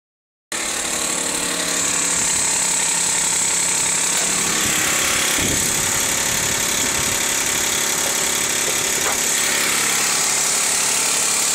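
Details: 2004 Dodge Stratus R/T 3.0L at cold start: fast, fairly even clicking about four a second at idle, owner thinks from the belt; stops if driven about 100 feet then restarted; cause unconfirmed.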